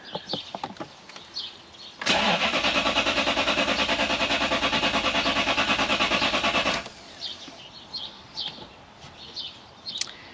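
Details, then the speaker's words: 2013 Toyota Hilux (auto) converted to a 3UZ V8: steady even cranking about five seconds, then silence, never catches; long cranking throws a crankshaft position code, but owner thinks it's a fuel problem. "it's a no-go I have checked the codes in these here and if you crank them long enough we're not starting they will throw a crankshaft position code"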